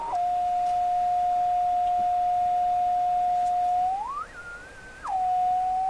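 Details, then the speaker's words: Westinghouse 535 tube radio with spurious oscillation: a loud, steady high whistle holds one pitch, then slides upward and drops back. Suspected to come from missing shielding on the glass 6Q7 tube; not confirmed. "So all that wheeling, squealing, dealing nonsense is probably coming from lack of shielding."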